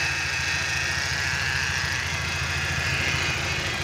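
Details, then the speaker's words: BMW E46 with N42 engine idling, separator part awaited: loud gritty high-pitched rush constant over the engine, bearing in the alternator sounds very rough; rough alternator noise. "ada nunggu part yang kita pesan di bagian separator Karena setelah kami kecek ini separatornya yang bermasalah ini makanya lagi orderan sekalian ini bearing di alternatornya ini ini kedengarannya kasar kali ini luar biasa kasarnya untuk alternator"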